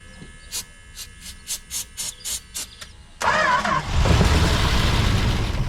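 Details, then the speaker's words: 1968 Plymouth Road Runner parked 38 years, fuel pump hot-wired to battery, distributor loose, thought to be at top dead center: even cranking about three turns a second, then brief rough roar on starting spray; won't run on its own fuel. "Time After Time the car would not start so what's the plan"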